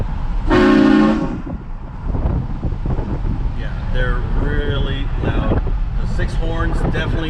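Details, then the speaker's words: Horn Blasters Conductor's Special 844 Nightmare Edition kit with Shocker XL six-horn upgrade and 8-gallon tank, heard from inside the truck: long, loud, steady chord of deep horn tones over road rumble; horns working strongly. "these 6 horns are extremely loud. I haven't tested it outside the vehicle, but it is really loud."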